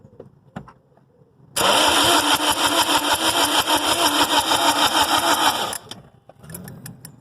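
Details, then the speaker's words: A 2005-12 Lexus IS220D with a P0405 EGR code, just erased, has its EGR solenoid and body reassembled but not mounted on the exhaust manifold. The starter cranks steadily at about three pulses a second for about four seconds and it never fires. Crank, no start, cause unconfirmed. "it's not starting. So we more or less clean the exhaust manifold."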